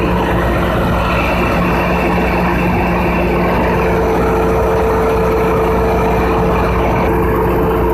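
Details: 3500 kVA generator during a load test; loud, steady deep drone with fixed tones at constant pitch — normal running under load.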